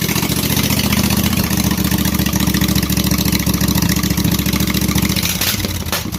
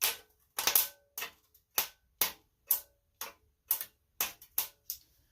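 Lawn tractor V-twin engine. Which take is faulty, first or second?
second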